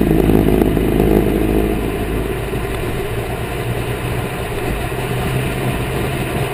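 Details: 2010 Corvette Grand Sport driving: engine and road drone with a low steady hum from the rear, louder turning right, varying with speed and how sharply turning right; cause unknown.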